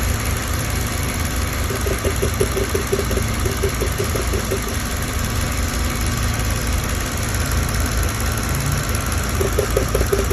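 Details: Mercedes-Benz W211 with a recurring engine misfire that came back 2.5 months after another workshop's repair, which included a new ECU: idle with an uneven, lumpy beat and irregular stumbles in the low rumble. Misfire at idle, cause not confirmed.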